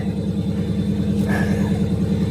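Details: Salvage-auction car started, being judged as a rebuild candidate. Deep, even V8 burble with a steady lumpy rhythm and no knocks or ticks; strong, healthy idle.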